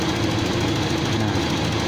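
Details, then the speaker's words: Toyota Kijang Kapsul petrol engine idling, light rapid ticking over the steady run, judged to be only valve clearance adjustment (loose valves) during a used-car inspection. "Nah ini ada suara sedikit ya ini salahnya di setelan klep nya aja"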